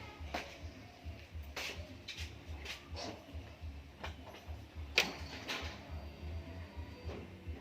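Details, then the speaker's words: Toyota Avanza 3SZ petrol engine idling roughly under sharp, uneven knocks from a worn connecting rod bearing, likely traced to the oil sump or oil pump; general overhaul needed. Connecting rod bearing knock. "connecting Rod bearing connecting Rod bearing bunyi puncaknya kemungkinan besar daripada oil sump ataupun Oil Pump"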